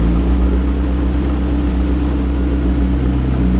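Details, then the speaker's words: McLaren V8 at idle after an oil flush, smoking heavily from the right side, oil pressure low at about 5 PSI: deep, even burble with no knocks, ticks or misses; the engine sounds healthy. "Yeah, it's really heavy out of the right side, but the engine sounds great, as usual."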